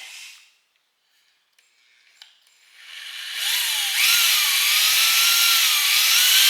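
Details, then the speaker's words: Fresh Ford 300 straight six for a 1954 International R100, before first start, oil pump primed with a drill turned clockwise in the oil pump drive: drill whine rises high, then sags and steadies under load as oil pressure builds and oil appears. "Yeah, it's low. There we go. Now we're getting some resistance."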